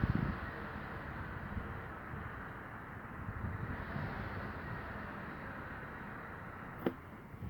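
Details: Kia Ceed petrol engine, hot at 90° operating temperature, idling low around 600 rpm (should be 700–800) and fluctuating without throttle: dull, rapid knocking through the low rumble.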